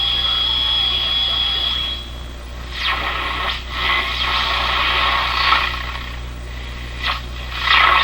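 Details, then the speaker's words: Repaired CBS Columbia Model 5330 vacuum tube clock radio being tuned: whistles and hiss sweep past as the dial turns and stations come through the static. Reception rises and falls near the antenna but works well; normal reception. "laredo's reception's going up and down because I'm getting close to the antenna let's check it out it's working pretty good already"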